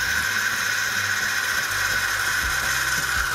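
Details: Philips 2200 Series LatteGo automatic coffee machine dispensing milk for a milk coffee: steady high hiss with a strong whistle near 1.5 kHz and a low pump hum underneath, even throughout; milk frother running normally.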